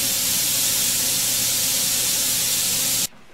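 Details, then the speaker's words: Benchtop steam sterilizer (pressure cooker) after about half an hour of sterilizing: loud steady rushing hiss for three seconds, then a sharp cutoff, as it depressurizes toward one atmosphere; normal steam venting. "Pressure's dropping here, but it does take a while to get back to one atmosphere."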